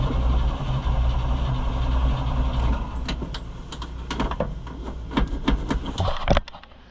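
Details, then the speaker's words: Chevrolet C65 grain truck engine started after a carburetor rebuild: it labours with an uneven, stumbling beat and sags toward stalling, with clunks near the end; needs fuel poured in, cause unconfirmed. "We're having some struggles. There's that open again. We need to pour some fuel in it."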